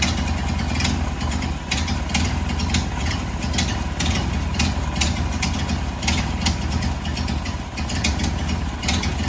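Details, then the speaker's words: 1929 Ford Model A, running poorly since its carburetor rebuild, after the leaking carburetor gasket was tightened and the needle valve adjusted: low idle with a slightly uneven, hunting beat; thought to be running too lean, not confirmed. "Too lean, I think. So, we've got adjustment on the needle valve now."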